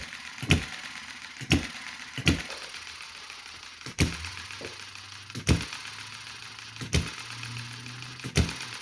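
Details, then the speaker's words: Small Chinese model hit-and-miss engine running slowly, with governor springs and other parts changed, so slower than original. Sharp single firing bangs every second or so, irregularly spaced, with quiet coasting between: normal slow hit-and-miss running. "now you know that this is running this slow because I've changed the Springs here on the governor and a bunch of other things so it's just how this runs is not a great reflection on the original engine which would have run faster than this"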